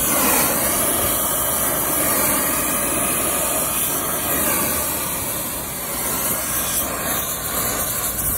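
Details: Vacuum pump evacuating line sets on a new Hoshizaki ice machine install, reaching 956 microns: steady hissing rush over even motor drone, constant pitch, no knocking or labouring; running normally.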